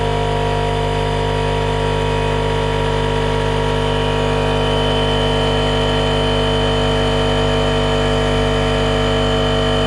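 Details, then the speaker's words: RIDGID 18V cordless air compressor, Gen5X brushless motor, model R0230, filling its tank to about 100 psi: loud, even buzzing drone with a fast steady pulse at constant pitch; the compressor is running healthy. "I'm gonna go ahead and turn on this air compressor. It could be loud, so just prepare your ears."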